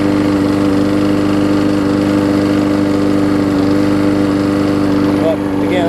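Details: Husqvarna mower with aluminum deck and a transplanted single-cylinder engine, after a new gas tank, a replacement carb and a tune-up, started after priming. It holds a steady, even idle with a clean firing beat and no misses or rattles, running healthy.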